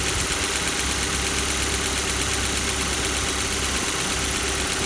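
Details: Kia Soul 2, 1.6 engine, cold start: steady cold idle with a faint, irregular metallic knock running through the engine note; cause not identified.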